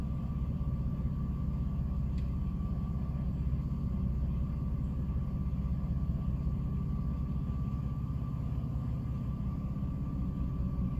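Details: 2006 Jeep Liberty idling with AC off: low steady rumble with an uneven, lumpy beat around four per second, randomly stumbling and nearly dying every so often; intermittent rough idle, cause unknown.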